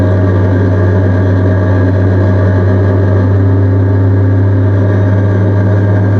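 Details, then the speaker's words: NB Miata with a cheap aftermarket exhaust taken from a wrecked car: steady low engine drone with a slightly raspy exhaust tone that is acceptable, though the exhaust also rattles underneath because it lacks the OEM hanger hook. "The exhaust itself doesn't sound too bad though. Like, It's just a little raspy. yeah. It's definitely a cheapo exhaust."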